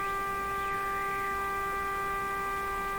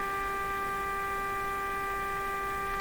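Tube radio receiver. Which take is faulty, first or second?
second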